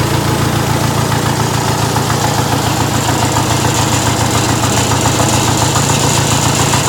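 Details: Diesel engine at idle acting strangely: a lumpy, uneven beat with a pulsing low rumble. Owner suspects a misfire; not confirmed.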